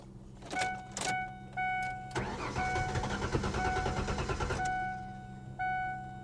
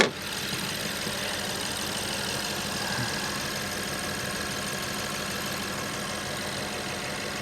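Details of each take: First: 2015 BMW 750i automatic at a salvage auction, low on fuel, after reattaching a loose ground: several short starter bursts, catches and runs about two seconds, then dies; possibly sat a while or an inertia switch is suspected, unconfirmed. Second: 2015 BMW 750i twin-turbo V8, accident-damaged, battery possibly slowly dying: smooth, even quiet idle with a soft steady hum and no knocks; normal idle, likened to a sewing machine.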